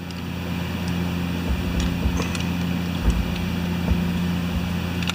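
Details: House furnace running in the background on a snowy day during Mastercraft MTD snowblower drive repair: steady low hum with even drone, no knocks or surging; furnace running smoothly.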